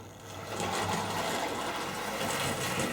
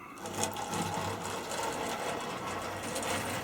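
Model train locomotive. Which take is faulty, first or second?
second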